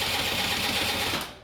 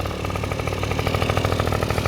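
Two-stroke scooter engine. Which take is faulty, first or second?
first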